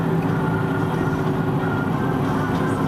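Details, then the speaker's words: Steady low whirring drone under road noise while driving and turning right, worsening as weight shifts left; it nearly disappears turning left, pointing to a worn left front wheel bearing. "that worrying noise that just got worse you can hear okay now we're going to turn to the left now it's very obvious in the vehicle that as i turn to the left putting the weight of the vehicle on the right that the whirring noise has pretty much disappeared"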